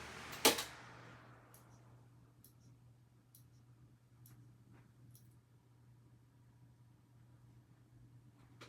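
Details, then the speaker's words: Hampton Bay Grayton 42-inch ceiling fan with four-arm light, on low speed: low constant motor drone with a few light ticks, humming fairly loudly but tolerable. "So, on low speed, this thing hums kind of loudly. Though, honestly, I could probably deal with it."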